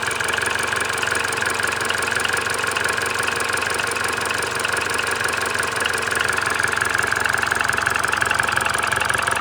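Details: Mini Cooper R56 1.6 122 PS N16B16A, 180,000 km: cold start fine, then fast ticking/nailing during warm-up with jerky throttle, almost gone warm; no fault codes; already replaced timing chain, VANOS, tensioner, solenoids, belt, coils, plugs, oil.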